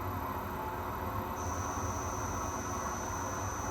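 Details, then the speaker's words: Torque converter balancing machine spinning a vendor's converter at 500 RPM with the belts removed: thin high-pitched whine over a low rumble is VFD motor switching-frequency noise, not the spindle. "So, that's until the VFD starts to make a little bit of noise. I've taken the uh the belts off. And that's not the spindle making that noise. It's actually VFD motor uh frequency noise."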